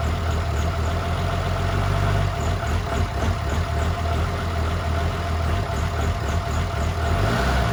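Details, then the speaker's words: 2007 6.7 diesel swap (1400 hp build, compound turbos) first fire: deep, loping, hunting idle; rough from old dual-pump small-injector tuning and ~10.5 V with alternator disconnected; open downpipe exhaust. "So it is running a little rough. Not a big deal. And then with the battery voltage being low because the alternator is not hooked up, that's also playing a factor in why it lopes so bad."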